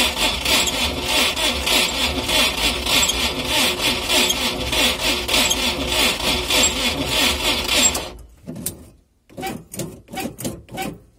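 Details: UAZ cold start after running with no oil, which seized the engine and spun the bearings: rhythmic harsh scraping creak with each crank turn, under two a second, then stuttering bursts as it stops instantly; the earlier grinding had faded.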